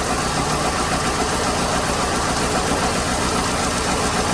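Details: 2008 Hyundai Accent 2.0 petrol engine idling with a lumpy, uneven misfire; misfire codes, Mode 6 data points mainly at cylinder 2, but testing finds weak spark from a failed ignition coil on cylinder 3, plus worn, fouled spark plugs.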